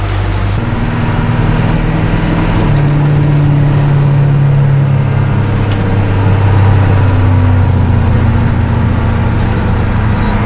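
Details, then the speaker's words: M1028 CUCV diesel pickup after wiring repair: deep, steady diesel idle with an even low drone and no rattle or knock; the low-mileage engine runs smooth and healthy. "runs good sounds good you really can just tell how fresh and young this motor really is mileage wise now that it's not on rattling"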